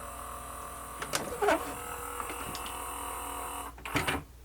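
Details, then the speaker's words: Sony MDP-333 LaserDisc player under repair, powered up with tray moved manually: two short whirring motor runs with light clicks, each stopping within half a second; motor spins but mechanism does not travel. "I'm going to power it up and move the tray manually yeah I it doing something it's just not going"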